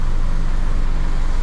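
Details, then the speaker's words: Isuzu D-Max iTEQ diesel idling just after start with the clutch released: rough, uneven low rumble with knocking pulses that smooths slightly when the clutch pedal is pressed and returns on release. Cause found to be a loose clutch disc. "bila kita Takan pedch kan dia punya Bui pandai sikit bila kita lepas kasar balik punya bunyilah kita dengarlah macam mana dia punya bunyi"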